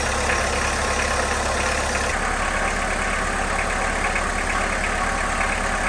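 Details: 1991 VW Jetta GL diesel after fuel filter change and priming with temporary electric pump, normal fuel line restored: catches and settles into steady even clatter at idle with no misses; fuel system primed, normal diesel idle.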